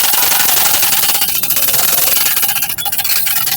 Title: SEWING MACHINE NOISE PROBLEM | SILAI MACHINE AWAAZ BOHAT KARTI HAI | SEWING MACHINE SOUND PROBLEM